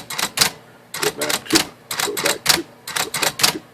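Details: Smith Corona 2200 electric typewriter after replacing broken power backspace clutch spring: crisp, irregular keystrike clacks about one a second, clean carriage snap, no dragging or slipping; typing and backspace working properly.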